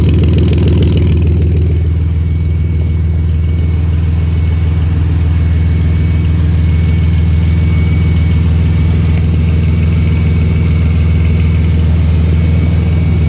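Loud low idle with a rapid puffing flutter in the exhaust note, strongest as revs come up; sounds like an exhaust leak.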